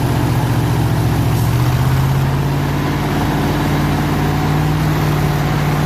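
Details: 302 V8 powering an air compressor, after the troublesome HEI distributor was swapped back to the old points distributor and the carburetor rebuilt: low, even idle with a steady rumble, no misses or knocks over six seconds; runs smoothly.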